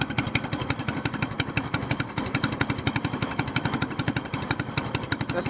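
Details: SPS Longtail mud motor, freshly built and still cold, running after its first oil change following a 3-hour break-in, now on 10w-30 Royal Purple synthetic with 2 oz BestLine. Quick, crisp single-cylinder pops at a steady rate with no knocks; healthy.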